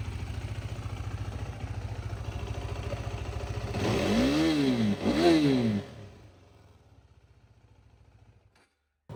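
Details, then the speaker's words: 2019 KTM RC 390 BS4 single, 17,423 km. Even thump at idle and two clean blips that rise and fall smoothly, then shut off; no abnormal sound, only slight vibration noted: normal idle and revving. "സൈഡിൽ sound വ്യത്യാസ കാര്യങ്ങളോ ഒന്നുമില്ല കേട്ടോ just ചില ഒരു vibration വരുന്നുണ്ട് അല്ലാണ്ട് വേറെ കുഴപ്പമൊന്നുമില്ല"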